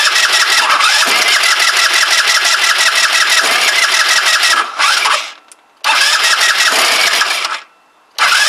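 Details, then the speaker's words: Kymco Agility 125 scooter, newly refitted with wheel and exhaust, cranks in bursts with pauses but never fires though the pump feeds the carb; owner wonders if the timing is out, unconfirmed. "nope she ain't gonna go I wonder if it's time in related we've got the timing us about face somehow"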